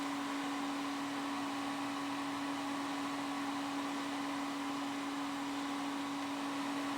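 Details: Home-built Windows XP PC: loud, constant rushing air with a fixed mid-pitch hum, fans stuck at full speed; owner suspects the graphics card.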